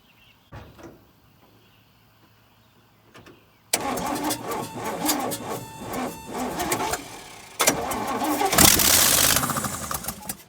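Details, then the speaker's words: 1965 Chevy C10 with 307 small block, first start in 20+ years, no exhaust manifolds fitted: rough, surging running that dies without throttle; owner blames a junk carburetor plus a poor ground throwing ignition timing off. "It's a piece of junk, it won't run. That's why it won't stay running, I had to keep giving it gas."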